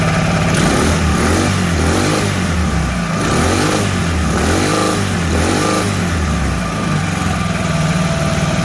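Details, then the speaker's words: Mud motor (Mud Skipper Twister) on a 1648 boat, fitted with a welded-on Honda 300 muffler: steady low, throaty note with gentle rev rises and falls, exhaust soft and muffled, much quieter than other exhausts; running normally. "Much quieter. Much quieter than any other exhaust."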